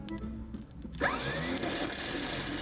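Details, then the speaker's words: 1972 Malibu that sat in a field for 25 years, starter fed by a wire run straight to it: a sudden electric whir rising in pitch with no cranking and the pulley not moving; starter drive not kicking out, wire getting hot. "Oh, we got no startage. That's great. The starter is no good. Look, watch the pulley. Nothing. It ain't kicking out at all."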